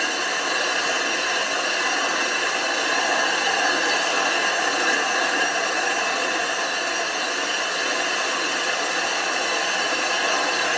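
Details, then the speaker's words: Grinding flat the back of a 25-inch F3 telescope mirror blank thinned from 2 in, turning about 45 RPM with fresh abrasive: steady even gritty howl throughout, the howl meaning the abrasive is cutting glass properly. "want to hear that howling grinding sound if it's not howling it's not grinding"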